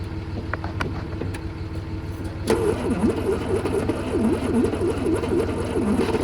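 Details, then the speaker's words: 1968 Kaiser Jeep M725 military ambulance, unrun for 15+ years, on jumper cables with a boat tank hooked up and starting fluid; after a pause the engine catches briefly with a wavering, uneven rumble. Owner is unsure whether the fuel pump is actually working. "Well, fired off there for a second. I can see through the uh windshield that the pump is pulling fuel, but I don't know if it's actually working or not."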